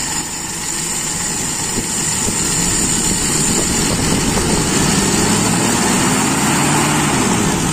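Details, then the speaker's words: Toyota Kijang Super carburettor engine after sealing the secondary air leak and closing the air screw further: even note picks up smoothly off idle with no stumble or hesitation; clean idle-to-primary transition, judged normal. "tidak terjadi nggel jadi menurut saya ini masih dalam kondisi yang wajar"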